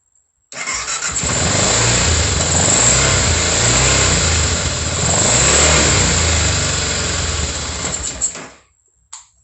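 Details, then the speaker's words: 2004 BMW F650 GS single-cylinder fuel-injected engine, first start after reinstalling it in the frame, no coolant yet; catches quickly and settles into a steady thumping run with clean revs for several seconds, then shuts off: normal start. "sounds good to me guys there's no water in this thing but it started starting s better and better every time"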